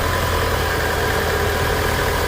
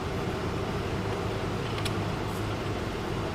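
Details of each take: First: 2011 Mitsubishi Eclipse 2.4L just started, warming up with AC on: steady, smooth low hum, no knocks or misses; normal warm-up idle. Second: 2011 Mitsubishi Eclipse 2.4L that died while driving, crank-no-start, timing cover off: fast, even starter whir with no compression rhythm or catch while timing belt doesn't turn; belt likely missing teeth, stripped timing belt.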